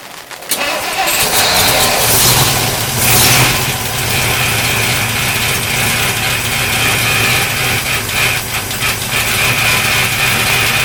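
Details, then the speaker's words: 1958 Studebaker Commander engine, barely running after starting fluid was previously used: rough idle with a faint springy twang over the running note; owner thinks a rubber diaphragm sounds like a spring inside, source unconfirmed. "this probably rubber diaphragm in here sounds like a spring in there"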